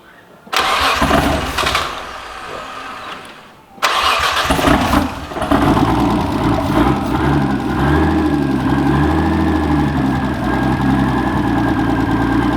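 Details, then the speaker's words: R31 Skyline RB30E: cranks, catches, stumbles, then a lumpy idle that wanders up and down; won't idle properly, owner suspects bad spark from a distributor and coil of unknown history. "and then next time I'll draw and diagnose why it's not idling properly"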